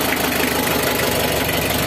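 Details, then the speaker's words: Mitsubishi L300 diesel idles with steady, dense, crisp clatter, no misses or hunting, after a fix for white, eye-stinging morning smoke; the engine now sounds dry and healthy. "Kalau ini kan suaranya udah garing Joe bisa garing itu berarti tinggal kita nyari cek update-update lah gitu"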